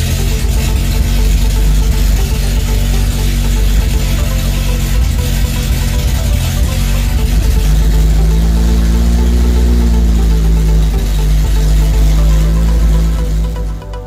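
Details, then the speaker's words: First start-up of a newly rebuilt Guy Croft spec twin-cam engine in a FIAT Spider, carburetted, timing roughly set, no exhaust fitted: loud open-pipe bark at steady idle, revs rising and falling once, runs evenly. Normal idle without exhaust. "yeah there's no exhaust so it's going to be loud"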